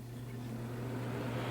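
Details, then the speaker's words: 1986 Williams Forsaire direct-vent propane furnace, original to the condo, after relighting the pilot: steady low hum swells smoothly as the blower fan kicks on a bit late, then holds even; normal blower operation. "any second now this fan is going to kick on I can feel the heat right now"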